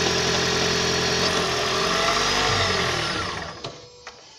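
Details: 2012 Toyota Prius 1.8 facelift petrol engine at 32,000 km: busy, rattly hum with a faint repeating knock and vibration, then winds down and stops.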